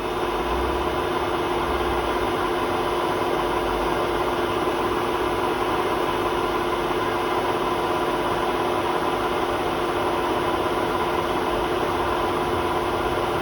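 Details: Hotpoint WMA32 washing machine at 800 rpm spin in its last run on bad bearings before replacement; loud steady roar with a horrible squeak; worn drum bearing.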